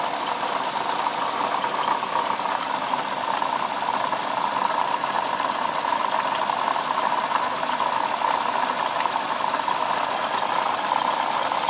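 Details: 2007 Lexus IS350 at idle: even idle with a light busy rattle, knock and faint squeak from the front side of the engine; owner suspects a bad water pump, cause unconfirmed.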